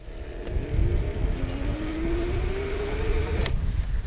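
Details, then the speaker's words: Magnum Metro+ e-bike, 500 W hub motor, 48 V battery, pulling away from a stop on grass on throttle with a 135 lb rider: faint whine rising steadily in pitch, motor groaning a little more under load but working normally. "like it gets the job done but you hear it groaning a little bit more I weigh 135 pounds so it's not having to do a ton of work"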